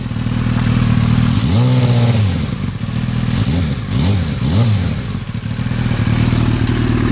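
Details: 2003 Yamaha R6 engine blipped several times, light metallic rattle over the low engine note; began after a recent trip to Europe, owner unsure if normal or affecting performance.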